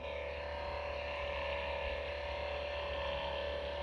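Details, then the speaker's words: Acer Predator Helios 300 PH315-53 gaming laptop (i7-10750H, RTX 2060), about a year old, idle with nothing open: CPU and GPU fans at lowest speed around 2200–2300 rpm give a constant mid-pitched hum with faint throb from dust-laden fan blades; cleaning reduced it. "the only problem with this one is the fan it's freaking annoying especially when you work at night"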